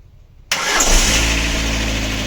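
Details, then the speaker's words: Lada Granta at 200,000 original km, first start after a full cylinder-head rebuild for a cylinder 3 misfire, no antifreeze yet: quick crank, catches at once, smooth even idle with no misfire, slight piston noise audible. "З полпіночка нічого не троїть. О, як муркоче моторчик. Як муркоче."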